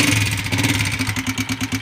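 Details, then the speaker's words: Honda CB Shine 125, 2015 model, single cylinder at idle: sharp regular tick about seven or eight times a second at the top end; tapping from worn, loose pushrods, before replacement. "देखिए दोस्तों यह इसमें से आवाज आ रही है और जैसे रहते तो दोस्तों छोड़ ज्यादा हो जाता है"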